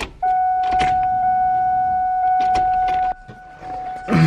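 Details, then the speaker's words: Cobra no-start: the fuel pumps keep running after cranking with a steady mid-pitched hum for about three seconds, then cut off; they sound different because they spin freely without building pressure, as the feed line is disconnected inside the tank. "you hear the pumps and I'm gonna go kyon and crank it and then as soon as I stop you're gonna hear the pumps continuing to run and they sound different which is weird"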